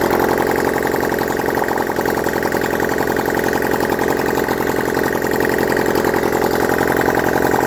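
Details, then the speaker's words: Honda CD175 single, running after setting timing, no exhausts, fed from a leaking fuel bottle: loud, raw, rapid popping idle, slightly uneven rhythm but keeps running on its own. "I'm over the moon the cd175 is now running and um that will lead us on to the next piece of the project"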